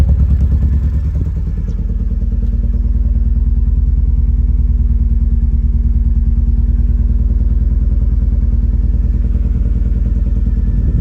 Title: Elan M100 Misfire